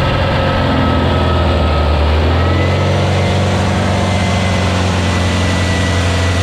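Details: Freshly built VW Beetle 1679cc single-port flat-four with Scat C25 cam and dual Empi ITC carbs during its 20-minute cam break-in after first fire-up. A steady, even low rumble has a firm pulse and no knocks or ticks. It runs smoothly and healthy; the break-in succeeded.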